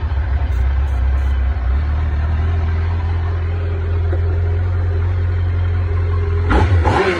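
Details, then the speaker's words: 2007 Yamaha FJR1300 four-cylinder, slightly warmed up, at high idle: steady fast idle with low even drone and a brief blip; runs lean and won't cold start without starting fluid since cold high-idle wax valve hoses were replaced; cause unconfirmed, owner suspects injectors. "so this idle's really lousy even if i put pull uh it's warmed up a little bit because i've run it some even at high idle if it were cold it's like it's running lean"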